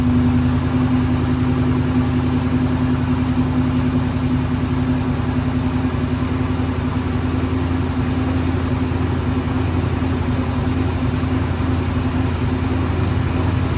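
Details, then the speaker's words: Ford Bronco running after 11+ years sitting, two hours of work, on very old gas: steady even low rumble, regular firing beat, no misses or knocks; normal running. "Garrett here we got it running and uh don't sound too bad"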